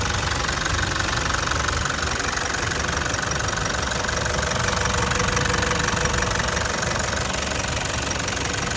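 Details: 2012 Toyota Land Cruiser Prado LC150 diesel, never had injectors changed, later engine failure with cracked piston; rattly idle with a steady even knock about three times a second, diesel knock at idle, cause suspected, not confirmed.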